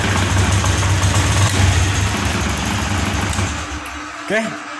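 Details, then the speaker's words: Motorcycle with an uneven, stumbling idle that sputters and dies away, despite a new spark plug and a new non-original injector; fuel pump normal. Faulty aftermarket fuel injector. "busi sudah kita ganti, kok busi sudah kita ganti baru, dan injektor ini yang baru juga, namun di sini masih berbet."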